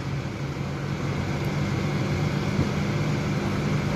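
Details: Honda City i-DTEC diesel after a full service, idling with the AC on; low, even drone, no hunting, knocks or squeals, a healthy idle.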